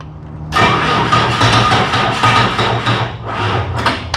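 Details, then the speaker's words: Bobcat 743 diesel skid steer, about 30 years old, glow plugs held, low battery: uneven cranking chug about three per second with brief firing attempts that never catch; air still in the fuel lines. "All right, here we go. That was close. Might still be a little air in there."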